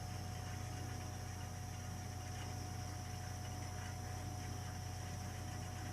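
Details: Burnham Alpine ALP150W gas-fired boiler, 3 years old, frequently rumbles when running: steady low rumble with faint throb three or four times a second under burner roar; cause unclear.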